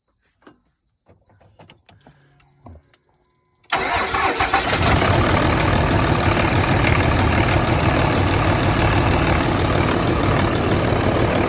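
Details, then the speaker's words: Cold 2005 Dodge Ram 5.9 Cummins turbo diesel (third gen), customer complaint rough idle: quiet clicks, then fires into a loud, loping idle; Windex on exhaust manifold shows number six not heating, single-cylinder misfire. "well here we have a third gen five nine cummins and customer complaint rough idle"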